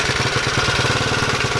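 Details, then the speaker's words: Honda Z50R cold start after full top-end jug and piston rebuild for low compression, nearly out of fuel: fast, even chattering rattle over a lumpy single-cylinder idle; source of the rattle unclear. "I'm not really sure what that rattle is oh I might know what that router is called rattling"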